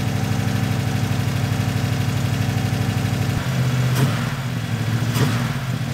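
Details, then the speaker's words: Turbo V8 police car (Diplomat) running after the fuel pump filled the engine; it idles with a steady deep low burble and no knocking, sounding healthy, after an earlier loud rocker noise while the oil primed. "I don't hear it Knocking I guess the engine's okay"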